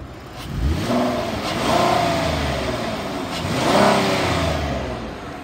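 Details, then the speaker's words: 2013 Ford Explorer Police Interceptor AWD, 3.7L V6, 139,000 miles, 8,918 engine hours, warm after running over an hour: two clean revs over a smooth idle with no knocks, misses or rattles; sounds healthy. "the motor sounds good it's been running well over an hour it idle smooth it revs up nice"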